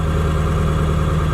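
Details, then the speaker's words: Ford 7.3L Powerstroke diesel truck with a motorcycle Hall-effect throttle wired in via relays: the sensor's minimum output is above zero, so idle runs high despite a resistor divider; steady, even low diesel thrum held a little fast. "So that means my idle's gonna be a little high. I put some resistor divider network and tried to get the idle down, but it's still too high to do clutchless shifts."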